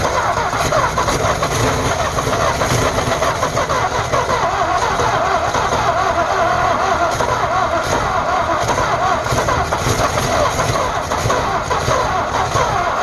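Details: 1948 Ford F5 bus abandoned 25 years: steady, slow, laboured cranking for over ten seconds without catching; owner suspects a weak battery, considers running a charger while cranking; an earlier attempt backfired. Slow cranking, no start.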